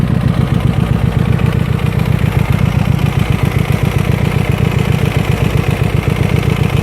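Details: Hyosung GT250R motorcycle at idle after being ridden with no engine oil: heavy steady knocking, about two to three blows a second, over a clattery engine note, oil starvation damage.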